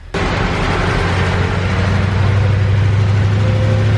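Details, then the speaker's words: 1972 Ford Gran Torino 400 2-valve on its first start after sitting 17 years, on old yellowish gas with the choke closed and a few pedal pumps: it catches and settles into a deep, steady, even idle with no knocking. "It's alive. No gas, no nothing. It's running. 17 years. Wow. All right, that sounded really good."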